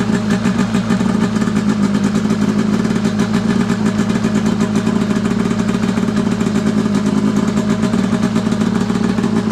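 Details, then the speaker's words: Arctic Cat F7 two-stroke snowmobile on stand after draining bad fuel and refilling with fresh mixed gas (oil confirmed in fuel), after it earlier died: fast even crackle holding steady, no misfires, bogging or rattles; runs clean and crisp. "still running. Sounds kind of crisp. We know we got oil in the fuel."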